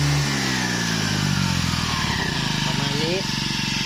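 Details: Used Japanese Honda UMK422 four-stroke brushcutter engine running smoothly after pull start, revs easing down evenly with no knock or rattle; healthy engine.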